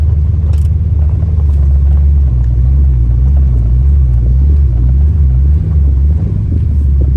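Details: Ford Fox-body Mustang after replacing the distributor pickup (stator), which cured a high-RPM misfire around 4,000–5,000 rpm: deep steady rumble under driving load with smooth pull, no stumble or break-up; normal running.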